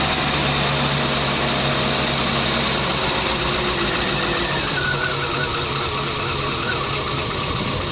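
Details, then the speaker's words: Dacia petrol car on a 4000 km road trip, morning start after fresh spark plugs were fitted: uneven, lumpy running with a loose knocking pulse just after catching; a bit grumpy, rough idle after cold start, cause unclear. "she's a bit grumpy this morning"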